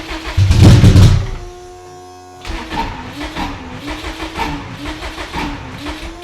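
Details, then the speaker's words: Subaru WRX drag car (600 hp) that sat about 15 years; fuel pressure present, ether sprayed into brake booster hose; short burst then slow, labored, uneven cranking that never catches; cranks but won't start, seizing suspected. "I don't know. I don't think this thing wants to run. Just a little bit of starting fluid."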